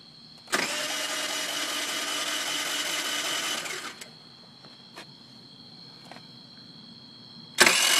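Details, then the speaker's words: Peace 50cc moped: starter spins at a steady high whir for about three seconds with no firing at all, then stops; cranks but won't start. "Alright, so here's me trying to start my moped, and it just will not turn over."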